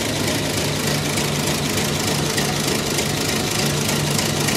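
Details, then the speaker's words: 109-year-old Ford Model T, cold day, just switched from battery to magneto: uneven loping idle, roughly three beats per second, over busy mechanical clatter; runs rough while cold, expected to smooth out when warm. "let's switch it to Magneto she runs a little rough when she's cold bad but once it warms up it'll smooth out"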